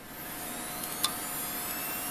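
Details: ADT A-CDVR80 CCTV DVR repaired for a no-spin-up fault in its hard drive power supply, powered at 13 volts: a soft click, then a faint, high, steady whirr as the drive spins up normally.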